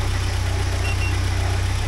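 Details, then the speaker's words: 1979 Porsche 924 idling warm after fuel pressure (WUR) work, with pressure steady at a low 3.8 for 20 minutes, water 62–63°, pump output 58°, radiator 53°; a smooth, rock-steady idle with no hunting or misfire; normal idle. "And it's steady like a rock right there. It's just low 3.8 for the last 20 minutes."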